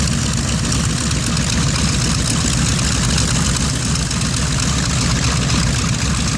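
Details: B-25 at taxi and run-up: deep, loud, steady radial-engine roar with a slightly uneven, lumpy beat. Engine misfires, source unconfirmed.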